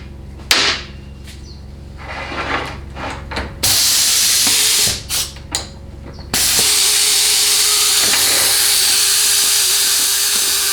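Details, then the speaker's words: 4L60E transmission shift solenoid from unit with no 2-3 upshift, bench-tested with about 50 psi air, unpowered: handling clicks then strong steady hiss of air flowing freely through it, as it should; normal solenoid air flow. "Okay, the solenoid appears to be functioning as"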